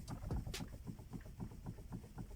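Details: Toyota Camry 40: quiet, low hollow knocks about four per second from the steering, caused by worn splines in the steering intermediate shaft (not the rack).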